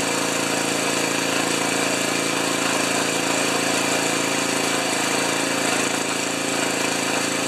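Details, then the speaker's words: Ariens 2+2 snowblower small engine, which had quit after half an hour and got a new coil: it idles with a busy, slightly lumpy beat and no knock. The idle mixture seems slightly rich and needs leaning out about a third of a turn; suspected. "uh sounds like it needs just a little bit of Leaning out on the on the idle yet a third of the turn"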